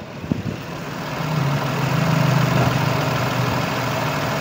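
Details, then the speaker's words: Renault Kwid Climber at idle after water pump replacement, mic at the same level as the before recording: a low, even hum with a steady tone and no rattle or whirring, about 90% quieter; normal idle. "Mike जो आहे मी सेम लेव्लला ठेवलेला आहे आणि गाडी 90% तरी सायलेंट झालेली काम फर्स्ट झालेल आहे आणि मी सॅटिस्फाईड आहे."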